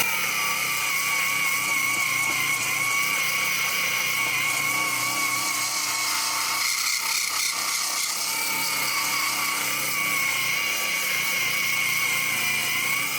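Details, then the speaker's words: Heimerdinger LB183 cordless angle grinder at first speed: steady high-pitched whine with a gritty, rough edge; bearing noise. "Excellent. And then there's the bearing noise. Did you hear that?"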